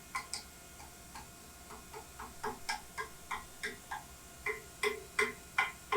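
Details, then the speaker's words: Mazak Integrex e650 mill-turn machining a coupling with a worn five-flute end mill during roughing: sharp, irregular ticks about two to three per second over the machine hum, the cuts tending to chatter; a change of tool is planned for the finish cuts. "when i finished roughing this the last cuts in here when it was cutting down at this end sounded like they kind of wanted to chatter a little bit"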